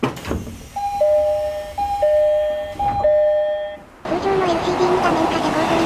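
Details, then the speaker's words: Odakyu 3000 series set 3270×6, before renewal, car 1 mountain-side door, January 2025: two-note chime, higher then lower tone, about once a second, sounding unlike other doors; abnormal door chime, wear or different spec unknown. "リニューアル前の小田打田急3000型3270×6には特殊な音のドアチャイムが存在しました。"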